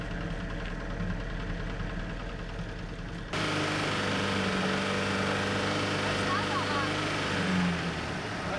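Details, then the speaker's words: 1991 Fiat Panda 4x4 after replacing stuck radiator cooling fan and refitting thermostat, engine near 90°C: steady idle, then fan whooshes in about three seconds and runs evenly; electric cooling fan works normally. "Did he turn on , yes he's working! 1..2..3.. yes! He turns!"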